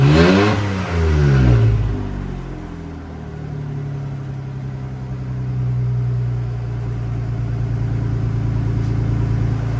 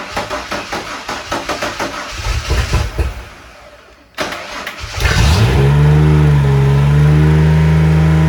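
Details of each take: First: Ford F-150 after junkyard head swap and resealed intake gasket: brief rev settles into a steady, even idle with no surging or racing; normal running. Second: Ford F-150 former plow truck after a budget junkyard cylinder head swap: starter churns, engine catches and holds a high flat rev as if at full throttle; intake manifold not sealing, leaking vacuum, causing high idle.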